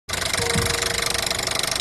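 A fast, even, sharp ticking rides over a running engine, typical of a failing high-pressure fuel pump.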